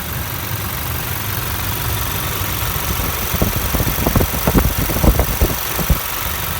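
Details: Toyota 1GD diesel, recently serviced and clean: steady low diesel chatter with a smooth, even rhythm and no uneven knocks; a normal, quiet, healthy engine at idle.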